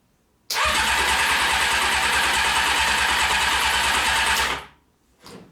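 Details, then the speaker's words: Honda CBR600 engine out of frame, float bowls filled with gasoline, choke on, no air filter: about four seconds of steady starter churning, then stops without catching; cranks but won't fire. "it needs a little encouragement"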